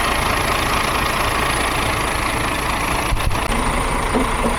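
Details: DAF CF truck diesel, model year 7, after BPV fault rectified. Fires up and settles into a steady, even idle clatter with no hunting or odd noises; healthy normal start and idle.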